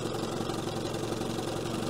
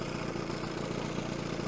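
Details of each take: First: 1970 Evinrude 25HP outboard after condenser change, in gear with idle raised: low, uneven two-stroke putter wavering near stalling but not dying; idle still set low, and the slow-speed needle gets closed because it runs too rich. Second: 1970 Evinrude 25HP outboard after condenser change: steady, even low idle with soft regular putter, idling way down on the throttle handle without relying on the idle screw; smoke much better, may still run a bit rich.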